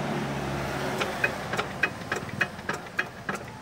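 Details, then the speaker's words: RD 85 S-series diesel, crankshaft bearing replaced earlier after oil starvation and failed again: heavy, uneven clunking knock about every half second at low idle; worn or flattened crank bearing suspected, crankshaft to be checked. "Ayo kita teh kompresinya ini ada suara plak klub-klub klub-klub ya Coba kita dengarkan ya"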